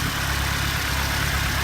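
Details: 1988 Honda Civic wagon/wagovan four-cylinder at idle: steady, even idle with a smooth low rumble and no tapping or ticking; normal idle, no smoke, only minor oil pan seepage.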